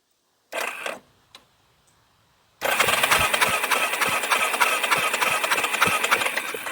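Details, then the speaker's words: 1989 Yamaha Big Bear 350 ATV, sat over ten years: starter churns steadily, about 200 beats per minute, but the engine never fires. Spark was lost after reversing the two CDI connectors; old CDI to be retried. "we've lost spark entirely, and that was the only two things that could have been backwards on this CDI."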